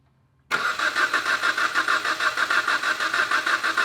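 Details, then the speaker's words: 2011 Jeep Patriot, rewired after an accident, ASD main control circuit code: starter cranks at roughly three beats a second with an uneven, lumpy rhythm and never fires; crank no start, dead or weak cylinder suspected. "it kind of sounds like it's got a dead cylinder or a weak cylinder"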